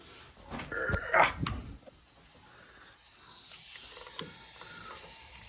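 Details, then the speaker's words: Drift car, diagnosed at home: a few knocks, then a steady high hiss that keeps building as pressurised coolant escapes from the upper coolant pipe, cracked where it enters the cylinder head. "so I think it's coming from one of these two pipes well I can hear it almost immediately it's definitely that upper one"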